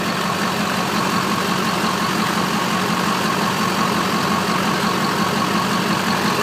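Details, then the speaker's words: 2001 Chevrolet Duramax turbo diesel HD2500, 181,000 miles, warm idle after cold start, new starter and fuel filter mount: even, steady diesel clatter with no misses or knocks; healthy, smooth idle. "he's a good runner guys"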